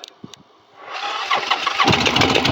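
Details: Motorcycle start after new fuel pump installed, choke off: a few faint clicks, then engine fires within a second and picks up to a brisk, steady idle. Clean normal start; new pump solved the issue.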